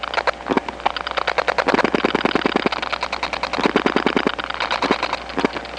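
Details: 1979 Atlanta step-by-step phone line after dialing two digits: bursts of sharp rapid clicks in uneven trains; other subscribers' strong dial pulses leaking between trunks as crosstalk.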